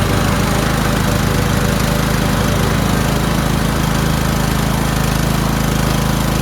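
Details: Toro Wheelhorse 1438HXL with repowered 17.5 hp engine, after mower deck belt and pulley replacement, deck not engaged: steady even drone about three beats per second, no stumbles or belt squeal; everything works. Normal running under load.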